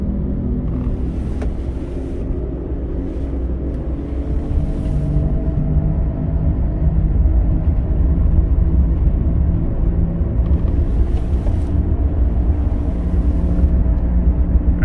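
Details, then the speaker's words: Subaru on the road, heard from the rear passenger seat: constant deep rumbling growl under road noise while cruising, building slightly with speed; roaring from a worn right rear wheel hub bearing. "sounds like it's right rear sounds like it's right rear"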